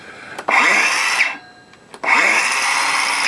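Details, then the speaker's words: Parkside 20V cordless circular saw, new version, no-load test: two clean spin-ups to a steady high whine, each stopped sharply by the brake within a second; normal run and brake stop. "And just as good stop start."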